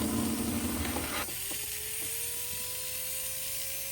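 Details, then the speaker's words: 1954 Lionel 6250 switcher locomotive after motor cleaning and wire reattachment: a clatter dies away, then a thin, clean whine rises steadily as the motor spins up freely, proving the motor runs; E-unit still sticking. "Okay. But we proved that the engine will run."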